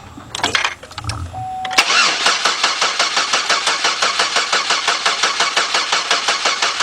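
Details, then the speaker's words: Chevrolet Equinox/Buick Rendezvous-family engine after rebuild, battery reading 11.5 volts: slow, labored cranking under three compression pulses a second, never firing; weak battery dragging the starter down. "11.5 volts what did it shut off okay is it yeah it's kind of low all right let's crank it over for a while"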